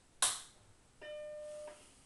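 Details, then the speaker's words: Original Macintosh, 25 years old, powered on: switch click then one clean steady startup beep under a second, no warble or buzz, followed by the disk-prompt cursor; normal startup chime. "happens of course the uh friendly beep you like to hear and there it is the blinking cursor asking for the disc"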